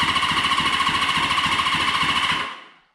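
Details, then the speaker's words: Rusty Honda CB550 motorcycle engine turned over on the starter by jumping battery positive; steady even chuffing about three and a half beats a second with no weak strokes, healthy cranking with good compression. "just make sure everything sounds good start to get some of that oil circulating so it's gonna spark a little bit don't let it alarm yeah sounds really good"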